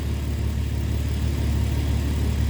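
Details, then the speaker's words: 2001 Mitsubishi Eclipse idling with codes for cylinder 5 misfire, EGR insufficient flow, EVAP leak and O2 sensors: steady low idle with a faint uneven stumble in the beat, pointing to a single-cylinder misfire. "And then of course we have an EVAP leak and a cylinder number 5 misfire."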